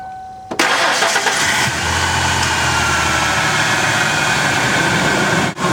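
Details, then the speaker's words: Engine starts after a brief crank and settles into a smooth, even idle with no stumble or miss, after checking fuel injector operation while chasing a misfire code. Normal running. "Okay, so we start the vehicle. You can hear that it's running smooth."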